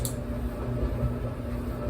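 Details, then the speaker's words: Older Whirlpool Duet dryer after main control board relay replacement and interface board connection fix for F70/F01 errors: sharp relay click at start, then smooth low drum rumble; normal start-up, no error codes. "You can hear that relay clicking too when it comes on. So yeah, second run, no error codes."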